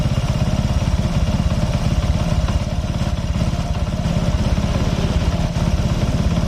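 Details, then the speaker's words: Honda Supra X 125 single-cylinder motorcycle at idle with a steady, slightly uneven clatter from the clutch side; lacks power, and in gear it creeps forward without throttle, and stalls in gear when idle is lowered; dragging clutch. "Yang lebih parahnya lagi nih, yang lebih parahnya lagi saat masuk gigi belum digas juga udah jalan sendiri nih. Nah. Sekali lagi masukin gigi, nah jalan sendiri tanpa digas."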